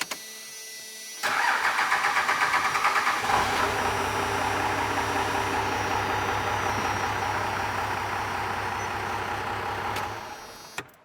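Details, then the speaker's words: 12-valve Cummins diesel, governor spring tension now probably too light: about three seconds of cranking before it catches, then a slow, low idle around 450 rpm; idle rod must come up toward 850 rpm. "so I counted like three plus yeah roughly and I see about 450 engine RPM at idle a little low so we're going to have to go up on the idle Rod"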